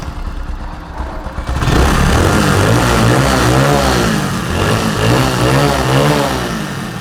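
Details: Bajaj motorcycle after its rattling silencer was repaired by welding the pipe: engine catches after a couple of seconds, then revs up and down smoothly with no silencer rattle; exhaust sounds sound.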